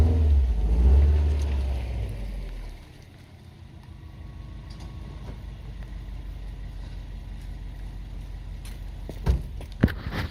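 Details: 2011 Subaru Impreza WRX with replacement Japanese engine swapped in for an EJ25 that had head gasket and ring land issues: after a loud start, a low even boxer burble with a steady beat, no knocks or ticks, healthy idle.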